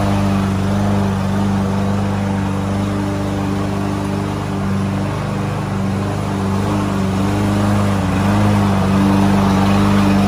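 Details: Landboy lawn mower, unused almost a year, now started after the fix: steady, even engine drone holding speed while cutting grass, no misses or surging; normal running under load.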